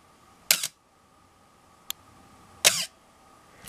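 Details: Canon AE-1 Program 35mm SLR with FD 50mm f/1.8 lens, two-second exposure with aperture stopped down, pre-sale check. Two sharp shutter firings about two seconds apart, each with a brief thin squeal: shutter squeal; camera otherwise works.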